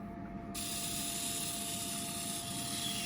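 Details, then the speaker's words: 1976 Bachmann U36B pancake motor after relube, bench-tested under load drawing about one amp; steady high whine holding one pitch with light hiss, spinning smoothly; normal running under load. "Load this up, it goes up to pulling an amp. Oh, there's just some Oh, the way these things sound."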